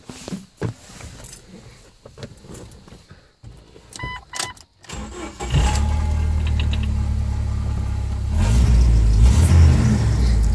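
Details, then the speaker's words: 1997 Jeep Wrangler SE, 2.5 four-cylinder, five-speed manual, 4WD, 158,000 miles: cranks, catches quickly, settles into smooth steady rumble with one rev rise; runs and drives great, no service lights, normal running. "runs and drives great no service lights on after mega CD player control works four-wheel drive works"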